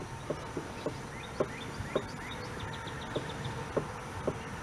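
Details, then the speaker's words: Light, uneven metallic clinks about twice a second as the ring and pinion are rocked by hand in a stock Ford 9-inch case rebuilt with a spool for 35-spline axles, after adjusters were backed off about a quarter to half turn; small, correct backlash. "Check it again. Got a little bit of backlash. Okay, so that's good. That's what we want."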